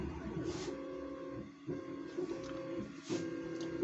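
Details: New 3D printer, first run: soft whirring motor tones stepping on and off with light clicks about every half second; normal, unhurried, lengthy bed-leveling run.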